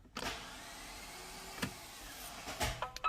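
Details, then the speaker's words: Hyundai Veracruz, cold winter morning around -5 to -6°C, morning start: a few dull clicks with no cranking, then a dash chime; starter fails on first try for about a week, starts on second attempt, battery reportedly fine; suspected starter motor not cranking. "음 , 약 일주일 전 부터 아침 에 차 시동 을 걸려고 하면 영상 에서 보셨듯이 스타터 모터 가 처음 에는 돌아가지 않습니다 . 딸깍 소리 만 나고"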